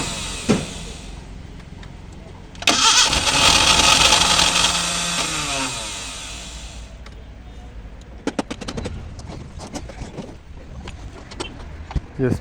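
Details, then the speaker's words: Maruti Gypsy, cold start after sitting a long time, in neutral with fuel reaching the engine: the starter spins it at about four beats a second for roughly three seconds without catching. It cranks but won't start; petrol poured into the air filter is tried next. "വണ്ടി crank എടുക്കുന്നേ ഉള്ളു കേട്ടോ അപ്പൊ നമ്മള് air ഫിൽറ്ററിലേക്ക് ഒരു സ്വല്പം അപ്പം petrol ഒഴിച്ച് നോക്കാം"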